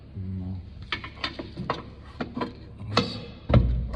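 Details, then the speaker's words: Nissan Note on a lift with contract engine, new control arms and steering rack: irregular hollow metallic clunks, about two a second, as the loose subframe beam is pried; subframe bushings torn out of the beam. "саленблоки по вылезали из этой балки и грохот стоит"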